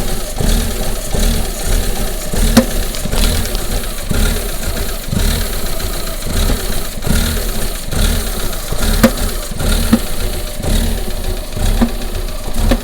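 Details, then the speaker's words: Rough-running, shaking engine with sensor errors after intake pressure sensor replacement: rough idle with repeated hollow bang about once a second; source and cause unknown. "what do you think that banging noises so tell where that banging noise is coming from so really can't tell i think it's coming from that"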